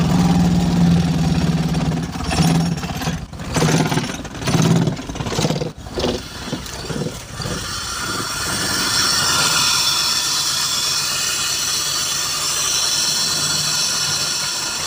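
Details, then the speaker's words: BMW Z3 engine that sat a long time, after a loose part was retightened: stumbles and surges unevenly after starting, settles weakly near stalling, improving with repeated starts; misfire suspected. "so I'll just keep starting it you can see it's improving yes as I'm starting it it's improving"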